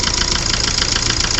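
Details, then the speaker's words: 2009 Hyundai i20 diesel with late starting: sharp, evenly spaced heavy knocks over the idle, louder right at start and slightly quieter once running. "आप यह sound कारी थी जब sound थोड़ा तेज था और अब स्टार्ट होने के बाद साउंड थोड़ा सा कम हो गया"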